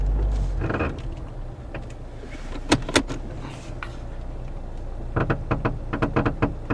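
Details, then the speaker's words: 2009 Toyota Corolla, 190k miles: dull clunks and knocks in short bursts as the steering wheel is turned at a standstill, also heard on stopping and starting; the outer tie rod boot is cracked and leaking grease, so the outer tie rod is replaced. "recently the car have some kicking noise I believe they come from the outer tie wall or ball joint I'm going to check it out"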